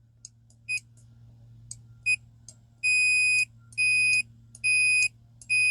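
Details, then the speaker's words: Hitachi chainsaw kill switch checked with an ohm meter, microphone down by the meter; sharp high continuity beeps each time the button is pressed, no connection when released; kill switch working correctly, suspected arcing of crossed spark wire to grounding post instead. "Yes. So it is actually working correctly."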